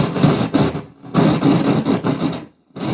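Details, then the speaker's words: 1970s FAL 12-channel stereo audio mixer powered up through an amplifier and speakers: loud rasping, scratchy crackle in bursts as controls move, from many bad fader and pot contacts; white noise also present and some channels suspected of bad op amps. "oh dear well there are a lot of bad contacts in the"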